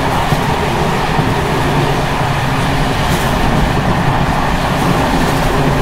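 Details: Czech Bd264 481 coach (built 1979), Görlitz V bogies many kilometres since last major maintenance, evening express on uneven line 190 between Hluboká nad Vltavou and Číčenice: loud continuous rolling roar with harsh clattering rattle underneath as brake rigging bounces. Bogie rattle.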